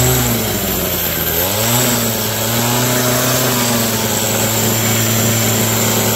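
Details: Abandoned roadside two-stroke hedge trimmer, revived with parts on hand (crusty fuel lines, disintegrating air filter addressed, mixture screws to be set with filter in), cutting a hedge: high steady buzz under load, brief rev change, no misses; noisy, vibrates, dull blades, but runs normally.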